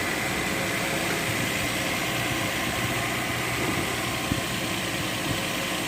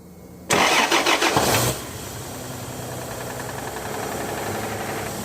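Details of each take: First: Toyota Land Cruiser 1FZ-FE engine: steady, even idle with smooth low hum and no knocking or tapping; engine sounds healthy. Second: Toyota Land Cruiser with a 1FZ-FE engine cranks and catches, then idles with a steady, somewhat uneven tapping knock. Suspected bearing or oil pump trouble, unconfirmed; the planned fix is an overhaul, checking the oil pump and crankshaft and camshaft bearings.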